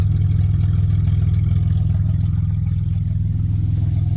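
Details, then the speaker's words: 1990 Dodge Grand Caravan LE, exhaust open straight out of the catalytic converter, low on fuel: a loud, even low thump with a raspy edge; open exhaust, but the engine runs fine. "good besides the fact it's race car"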